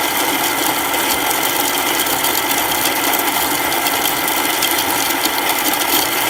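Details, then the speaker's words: Baratza Encore coffee grinder after its clogged chute was cleared and its burrs cleaned: a steady, even whir with a coarse crackle of beans going through the burrs, no stalling; now grinding properly. "So we cleared that clog and we cleaned up the burrs really nicely. And so everything's working really well now."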